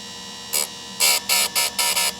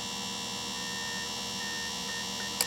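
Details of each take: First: Sharpening a Shindaiwa 300S chainsaw chain on a grinder after adjusting depth; steady motor whine broken by five short, crisp grinding bursts as the wheel lightly grazes the tooth face; clean, even contact, normal. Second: Sharpening a Shindaiwa 300S chainsaw chain on a grinder, test pass with chain pulled back under tension; only steady motor whine, no grinding bite, so the wheel is set too shallow and misses the tooth; depth stop must be adjusted.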